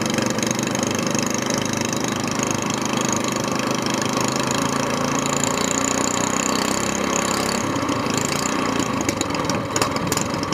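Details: SPS Longtail mud motor, freshly built and still cold, just after its first oil change following a 3-hour break-in, now on 10w-30 Royal Purple synthetic with 2 oz BestLine. A steady, even drone at idle and on revs with no knocks or misses; it revs a little smoother and is healthy.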